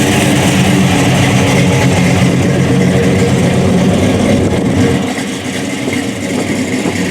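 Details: General Lee tribute with 426 HEMI V8 and 871 blower, MSD ignition, 5-speed Tremec, detuned for street (est. 800–900 hp when fully turned up): deep loping idle swelling into a hard rev and settling back, even firing, no knocks or rattles; healthy.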